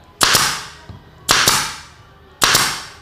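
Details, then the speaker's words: Nail gun on unregulated full 8 bar tank pressure, above its 3 to 5 bar working range (depending on wood): sharp loud cracks; overpower can quickly damage the gun's rubber seals, so it isn't recommended. "Dan itu sebenarnya bisa ngerusak apa namanya ya, bisa cepat rusak untuk bagian seal karetnya di bagian mesin ini, karena dia itu overpower."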